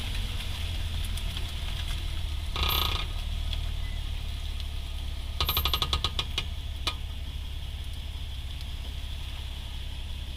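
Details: 2008 Honda Accord V6, rear clunking and gritty grinding bursts over road rumble when braking, both rear sides; rotors and pads replaced, caliper slide pins lubed, heat shield checked and not touching the rotor. Cause unknown.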